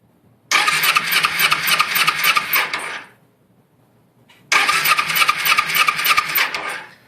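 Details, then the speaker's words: 2004 Kawasaki Ninja 250 with no spark, ignition box already replaced, ignition switch bypassed with 100-ohm resistor: two few-second cranking bursts, engine turns over but never fires, while metering pulsar coil AC voltage (about 0.3 V read); cause unknown. "we're going to crank her over and make sure we're getting a ac voltage pulse from the coil"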